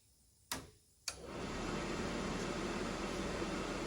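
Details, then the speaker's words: RV furnace tested with the cover and exhaust baffle in place. Two sharp clicks, then the blower spins up to a smooth, even rush of air before ignition, with no rattle or scrape; normal blower start. "the blowers kicked on it's going to run for a little bit and then you'll hear it try and ignite"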